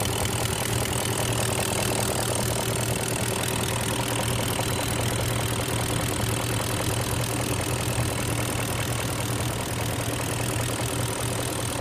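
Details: 2002 BMW X5 E53 4.4i M62TU V8, warm idle: steady low hum with a faint, fairly regular knock, started 6,000 miles ago after a switch to Mobil 1 5W-30, persists back on 20W-50.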